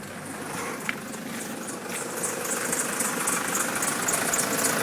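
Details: Nissan Patrol 3-litre turbo diesel at idle, also won't start unless jump-started: high chirpy squeak repeating several times a second over the clatter; source not yet pinned down.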